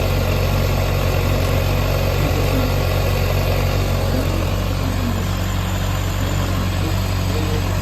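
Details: Yamaha XJR400 (4HM early model) inline-four engine assembly, high compression measured, no abnormal noise or white smoke: smooth steady idle with even hum, no ticking, knocking or rattles; healthy.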